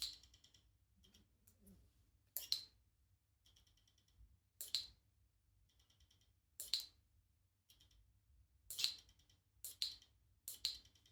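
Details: New Shimano RD-RX825 GRX 12-speed Di2 rear derailleur, bench-tested out of the box before installing: brief motor whirs, then sharp high ticks after shifts. Shimano confirmed this is stock behaviour.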